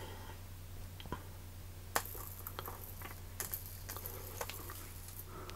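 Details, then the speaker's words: Series arcing at a loose connection made by bringing two brass stop ends together on a circuit protected by a Hager smart AFDD: irregular sharp snaps, crackles and pops over a steady low mains hum, yet the AFDD does not trip. "you can hear it snap crackling and popping away uh I'm really not sure why that's not tripping"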